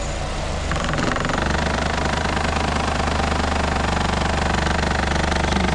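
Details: 2014–2020 Nissan Rogue under the hood while accelerating: a harsh, fast buzzing rattle over the engine from a common loose, vibrating plastic intake air duct joint, fixable with electrical tape.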